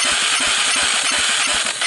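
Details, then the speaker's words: 1998 Honda TRX300EX single, choke on with jump pack, low compression (35 psi dry, under 60 wet): sharp rhythmic puffs with hissy blow on throttle, kicking back out the carburetor; owner suspects a stuck valve or debris in a valve seat. "so to be kicking out the carburetor like that i got a stuck valve or i got something in a valve seat"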